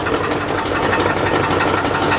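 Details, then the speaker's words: 2006 GMC Envoy XL Denali, 5.3 V8, running in gear: a fast, busy knock rides over the idle and sounds much like a rod knock, but the cause is loose flexplate-to-torque-converter bolts. "just listen to it and it does sound like a ride now I'm not going to lie it did sound like a rod"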